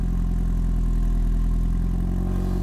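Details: Mini Cooper S R53 with newly rebuilt engine, first start-up after cranking with coils unplugged to build oil pressure and prime fuel pump: low, smooth, even running with no knocks or rattles; normal running, before bench break-in.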